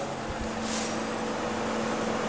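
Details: Homemade refrigerant recovery unit with a 1.5–2 kg storage cylinder, finishing recovery from an air conditioner, pressures near zero: quiet, even motor hum with a steady low tone and no knocks or surging. Running normally.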